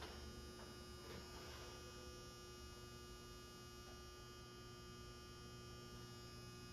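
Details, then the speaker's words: Galaxian arcade cabinet during restoration: low, steady electrical hum with faint buzz at constant pitch, present since first power-on, with a spark seen and no monitor neck glow; mains hum, suspected from the monitor chassis, not confirmed. "that hum is that from down there it was doing that when I first turned this thing on"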